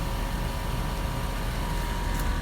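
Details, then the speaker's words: 2006 Range Rover Sport air suspension (EAS) compressor just replaced after the previous one failed: steady low droning hum with no knocks or rattles; the compressor now runs, which it did not before, and airs up the front and rear. "already as you can hear the compressor is running which it did not do before"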